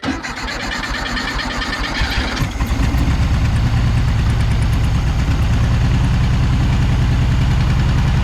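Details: 1976 Volkswagen Beetle with '40 Ford kit, sat for years, first start after fixing fuel pump sucking air at a hose: about two seconds of uneven cranking and popping, then catches and settles to a steady, even carbureted idle.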